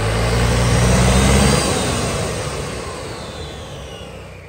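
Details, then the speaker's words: Honda SH300i 2020 scooter after a full CVT clutch rebuild, with new clutch shoes, air filter, driveshaft, fan and radiator work; revs climb and fade smoothly with no whine, squeal or belt chatter, and the clutch is quiet. "Giờ mình test cho anh em xem nha ông nồi rất là im rồi thấy không thú không có xào"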